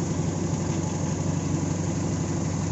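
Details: AEFE 92 engine after its hard-starting issue was fixed: a steady, low idle with an even, smooth pulse and no knocks or misses; runs cleanly.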